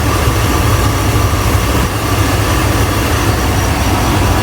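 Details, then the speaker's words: 2001 Chevrolet Tahoe Z71 5.3 V8 after the misfire was traced to an injector, repaired without replacement: deep, even idle with no skips; cylinder misfire graph shows no cylinder misfiring and no service light. "Bueno amigos ya ha terminado parejito mire parejito de motor cero"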